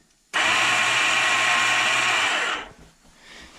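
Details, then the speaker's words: 1987 Yamaha Big Bear 350 4x4, button pressed: high, steady electric whir with no cranking beat, then spin-down; starter spins without engaging due to a failed one-way starter clutch bearing. "all right if you listen here's the noise that I heard when the one-way bearing went out turned on hit the button"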